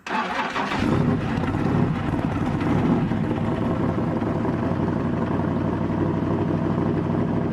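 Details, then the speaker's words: S-10 race truck after fitting an MSD distributor shaft into its housing with a modified Mallory bronze gear: short crank, catches within a second, steady even idle with no misses; initial timing then set to 36 degrees. "So once we fired the truck up, I got the timing light out, set the initial timing at 36 degrees like we always do, and that was it. The truck seemed to be ready to go."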